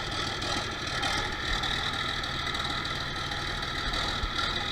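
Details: 1966 John Deere 4020 diesel whose RPM fluctuated under load, first start after installing a new injection pump and bleeding lines with ether: steady diesel clatter at idle, even rattle, no stumbling or misfires.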